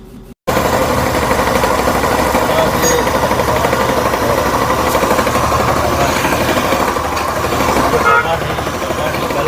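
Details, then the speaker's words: Motorcycle engine idling with an uneven rapid knocking under the running noise, about three a second; crankshaft bearing knock from worn bearing with play. "ये जो crankshaft है ये जो crankshaft है पकड़ो इसको। ये क्रैंकशाफ्ट में साउंड"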